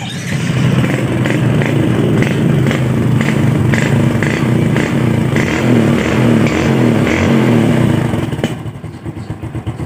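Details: Yamaha Jupiter Z1 motorcycle after fitting a new starter motor to fix no-start: starter spins up briskly and evenly with a steady whirring churn, then cuts cleanly; starter now working properly.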